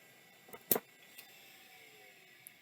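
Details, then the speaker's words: Miniscribe-design drive built by Maxtor (Colorado), said to sound like a Maxtor 7000 series, powered up: a faint, slowly climbing whine settling into a steady hum with a few light clicks. Spins up normally and works. "let's see if it works no idea what these brackets are from but it even sounds like a Max 3 7000"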